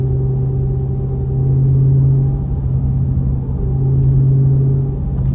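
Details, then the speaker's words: Mopar 3.90 rear differential on a Scat Pack Charger whining on a hard launch despite 700-mile break-in and a fluid change about 800 miles ago; a steady low hum over cabin noise, swelling with speed, present since about 50 miles after install. "that's gear whine right there. They do have a whine to it, and that's, like I said, that's with proper break-in."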